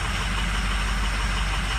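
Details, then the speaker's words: Cold start at 68°F of a diesel truck: heavy, lumpy idle with uneven low thumps and knocking edge as injectors on cylinders one, three and five drop out; failed injectors, total replacement needed. "oh okay number three look at that number one number six looks like it's trying to harness it's the injector here real quick shaky video well look at number five dropping one three and five"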